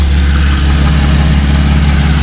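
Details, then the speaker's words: 2017 Chevrolet Camaro V6 2LT/RS idling just after installing a Cold Air Inductions SS intake, without a tune yet: a smooth, even, low idle with no ticks, knocks or hiss and no check-engine light. Sounds healthy. "everything's looking good so far no issues i don't hear anything weird"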